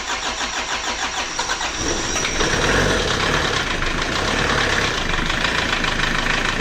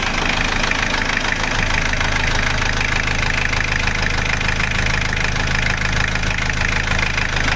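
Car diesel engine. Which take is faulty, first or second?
first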